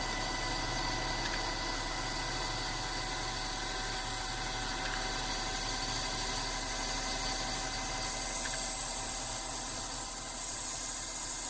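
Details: Simplewater ECO12 12V 60 L/h boat desalinator in production, just before stopping it for a fresh-water rinse: steady even pump drone, fast regular pulse about four per second, no knocks. Normal running.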